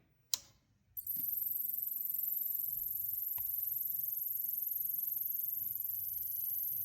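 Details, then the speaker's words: Savant SSA-3220D-00 Rev. 13 32x20 audio matrix switcher powered on: a fast, steady high-pitched cricket-like chirping from the power supply that starts at switch-on and continues; unit still works and power light comes on; owner believes power supply failing. "It works, however, the power supply makes kind of a cricket sound."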